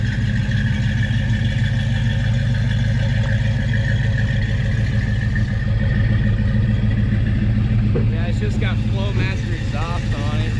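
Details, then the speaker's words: S-code Mustang, owner-restored, C6 automatic: deep, steady V8 burble at idle with an even low rumble and a short rev; runs smooth, nothing abnormal. "Yeah, I've heard it and it sounds nice. Yeah, it don't sound too bad."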